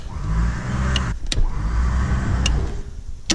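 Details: Winch on Jeep XJ project, battery terminal reconnected, spooling up: steady low motor hum over a couple of seconds with no grinding or clunking; winch spools evenly and works fine.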